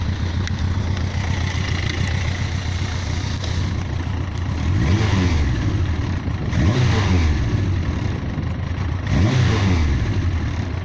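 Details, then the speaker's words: Yamaha XJ900S Diversion motorcycle after fixing a three-month misfire blamed on ethanol supermarket petrol: idle right at 1000 rpm, three clean throttle blips rising and falling smoothly, no popping or hesitation; misfire cured, no stumbling or stalling. "so the misfire is now totally cured um ticks over beautifully doesn't stumble and stall"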